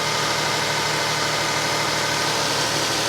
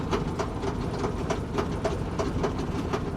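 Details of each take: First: Toyota Sienna minivan at a salvage auction on a very cold day, hood open, timing belt replaced at 124,000 miles about 50,000 miles ago: steady, even hum with no knocks, misses or surging; normal idle. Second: Salvage auction vehicle showing 246,000 miles, fuel pump priming: rough running with a hard metallic bang about four times a second and no oil pressure; a thrown connecting rod, with a hole visible in the side of the block.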